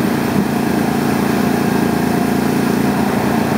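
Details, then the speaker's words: Mazda B3000 idling, screwdriver held to the back of a fuel injector as a stethoscope: steady, consistent clicking showing the injector is firing normally and consistently. "You can hear that clicking and it is consistant That means that the injector is firing and it is firing consistently."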